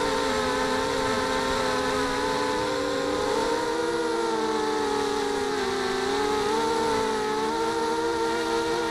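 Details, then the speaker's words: ZMR250 mini quadcopter with RC Timer 1806 motors: several high buzzing motor tones wavering with throttle plus a harsh rattly edge; motors worn with about 3/4 mm or more vertical shaft play. "the motors on this these are the RC timer 1806 Motors they're pretty worn and there's a little bit of vertical movement in some of the motors"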